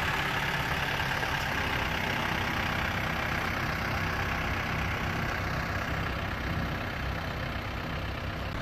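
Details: 1994 Toyota Dyna 4x4 diesel fire truck, 4,200 original miles, regularly maintained, recorded outside walking near the engine and fuel tank: steady even diesel rumble at idle, no knocks or misses; healthy idle.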